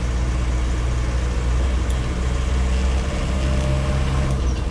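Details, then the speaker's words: Land Rover Series III 88in diesel on the move: steady even diesel drone, no knocks, not smoky; engine healthy under load, gearbox and transmission without backlash. "So yeah, engine seems to be in rude health, and it's not a really smoky diesel either, this"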